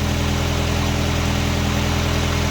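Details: 1999 Nissan Sentra 1.6 idling after an EGR delete and new headers were installed: a smooth, quiet, even pulse with no ticking or exhaust puffing. Much quieter than the previous loud exhaust. A little oil smoke appears near the oil pan. Normal idle.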